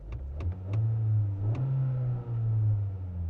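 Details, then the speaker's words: Rebuilt totaled 2025 Honda Accord turbo engine, rolling around the block after fitting missing intercooler gaskets and fixing the actuator: smooth rumble rising and easing, no hiss or whoosh; no boost leak, sounds as it should. "Guys, it literally sounds how it should. I don't hear I don't I don't hear any boost leak or anything."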